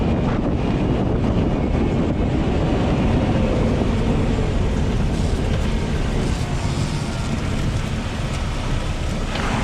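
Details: 2020 LADA Vesta SW Cross, 13,300 km, 1.8 engine, AMT gearbox, updated SAAZ front struts on broken dirt road: steady rough-road rumble with wind, no clunks or knocks from front struts; suspension operating normally.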